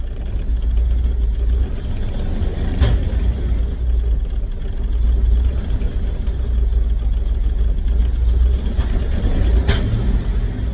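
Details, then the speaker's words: Volvo during maintenance, engine running: low, rough rumble with sharp pops several seconds apart when throttle is given; pinging and backfiring under throttle, smells rich, owner suspects fuel pressure set wrong. "so it sounds like you give it any gas it kind of starts to ping and like uh backfire pretty badly so something's up with that"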